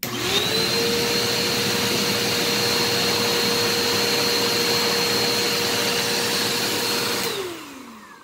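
A steady, high, even whine holds for seven seconds, then drops smoothly as it shuts off; the motor and brush run normally.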